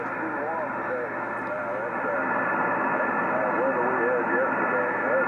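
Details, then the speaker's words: Yaesu FT-1000MP Mark V 200 W HF transceiver on a 75 m dipole: loud rushing hiss throughout with faint warbling voices barely audible, weak signals buried; another radio on the same antenna receives clearly, excessive receiver noise. "and I go back to this one is supposed to be a far better radio or sieve and everything and it just does not sound right at all"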